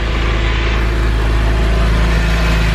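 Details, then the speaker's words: Porsche 996 after replacing spark plugs and Beru coil packs for misfire code P0301 and knock sensor code P0327; idle now smooth and even with a low exhaust burble, no longer lumpy: normal idle after repair. "nice and even again versus it was really lumpy when I got that check engine light so I am really really pleased with that"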